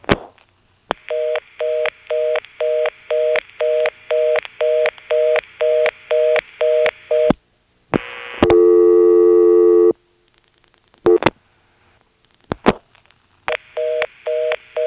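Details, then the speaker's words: March 1977 Carolina Telephone step-by-step exchange, Washington NC: dialing a two-digit official DDD code returns fast on-off reorder bursts about two per second with a steady tone and pause, as the line's class marking restricts the code. "now one more very often in a Carolina telephone step you find this code that when you dial it all of a sudden this reorder just seems to come on out of nowhere here I'll demonstrate it"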